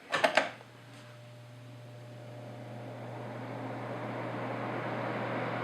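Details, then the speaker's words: Honeywell HCM-6009 humidifier after modification to reduce vibration, reservoir full: switch clicks, then steady low motor hum under fan airflow as it spins up; humming persists due to motor design. "they're still humming it's not that bad but still a better design with really improve on that"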